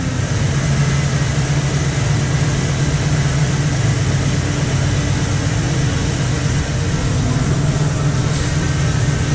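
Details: 2016 Chevy Express 2500 van with a 4.8L V8, first start after a water pump replacement for a coolant leak: a deep, steady burble at idle with a smooth, even rhythm and no knocks or squeals. The pump is circulating and it runs fine.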